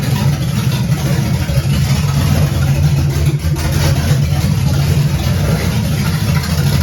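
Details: 1978 Camaro 383 stroker V8 with Vortec heads at first start, timing bumped about five degrees, simple fuel system: deep, even rumble with no misses or knocks, running smoothly.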